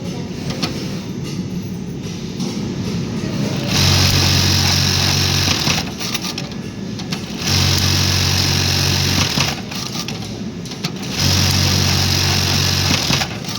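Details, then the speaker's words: Juki LBH-1790S buttonhole machine running after double knife stroke was switched on in program 18/19 settings; three even two-second bursts of fast stitching with short pauses, cycling cleanly — normal buttonhole cycle. "Run ಮಾಡ್ತೀವಿ ನೋಡಿ. ಇವಾಗ double stroke ಬರುತ್ತೆ ನಿಮಗೆ."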